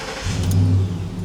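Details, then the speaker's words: 2010 Ford F-150 4.6L V8 with P025A fuel pump code, fuel pump and fuel pump driver module already replaced, pump commanded on during the test: engine catches and swells, then the low drone sags and dies, bogging; cause not confirmed. "See if it stays running while I've got it commanded on. Nope. It's starting to bog down."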